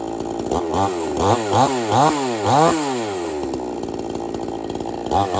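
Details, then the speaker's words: Two-stroke chainsaw on 50:1 mix, warmed up, started without choke: even buzzing note rises and falls cleanly with throttle, no misses; running normally. "like that. That's how you start up your chainsaw."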